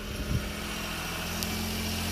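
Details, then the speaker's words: Three-cylinder mini truck warming up after new fuel and cleaning, mechanical fuel pump: low, steady idle hum holding even with no stumble or dropped beats; all three cylinders firing, normal idle. "let it warm up here a minute running on all three cylinders that sounds pretty good"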